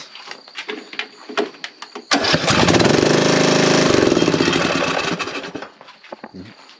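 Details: Briggs & Stratton 19hp 540cc lawn mower engine after valve adjustment, cranked with the valve cover off: starter cranks, engine fires and runs a few seconds with a loud open clatter, then winds down; it starts and runs.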